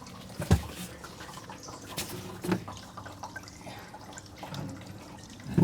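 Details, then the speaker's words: Diesel tank being polished after degreasing, pumping fuel through filter with cloudiness that may be water; irregular splashes and soft trickle of return fuel spilling back into hollow tank, flowing normally. "Okay, and I can hear it spilling into the tank now."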